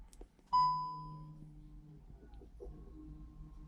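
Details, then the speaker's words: SEAT Cupra after rear pad and disc replacement, car on ground, ignition on: chime then faint steady low whir of rear electric parking brake caliper motors closing via diagnostic tester; smooth, normal operation. "I can hear the calipers working. Okay, that is finished."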